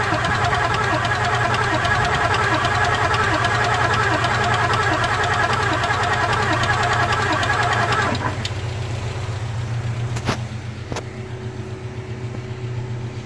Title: 94.5 7.3 powerstroke no smoke no start clicking